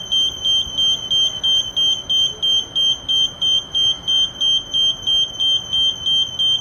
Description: I hope that by listening to this incessant beeping you get to feel how the lift feels when you hold the door control buttons for too long.